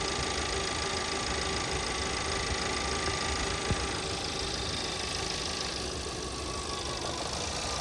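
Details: 2017 VW Passat 1.8, random multiple misfire cylinders 1–4 after a few minutes running, new NGK plugs: warm idle with uneven stumbling beat and shake; fixed by replacing the faulty camshaft adjuster (timing) solenoid.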